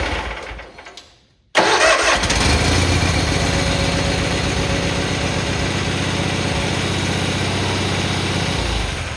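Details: Cub Cadet 782 garden tractor after choke cable repair, started with choke: engine fires immediately and runs at an even, steady beat near four per second; starts and runs normally.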